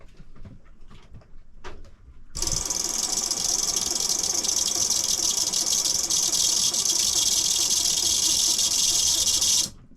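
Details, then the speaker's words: Raytheon ST6000 autopilot drive bench-tested directly on 12 V batteries: a high, steady motor whir spinning freely with no load change, and the output never turns. The clutch seems not to be engaging, possibly due to messy wiring. "to me seems like the clutch just wasn't engaging"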